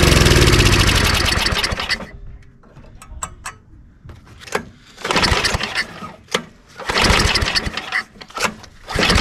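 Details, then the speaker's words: Old self-propelled snowblower with 5hp Tecumseh engine, spark confirmed: engine catches and revs about two seconds, then fades and stalls, short cranking bursts follow; carburetor issue suspected, later throttle found stuck open. "we definitely have a spark so that's telling me is probably a carburetor issue"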